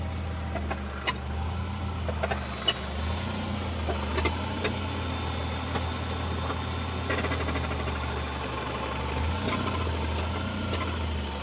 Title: Rattle noise 2000 BMW 318 Ci